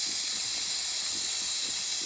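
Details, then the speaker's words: Nuwave 13-quart electric pressure canner after canning bacon ends, valve turned slowly to release steam: constant high hiss with no sputter or pulsing; normal steam release. "I'm going to turn it to release the steam. And yes, I should have not put it under the counter. I'm going slow. I don't want to go too fast."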